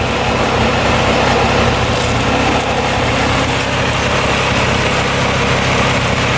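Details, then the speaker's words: 2002 Polaris Scrambler 400cc 4x4 ATV restarted without choke after sitting about an hour: steady, even idle with a smooth, unchanging note and no knocks or misses; single-cylinder engine running healthy. "let's see if it starts right back up again all right here we go let's see what happens running pretty good"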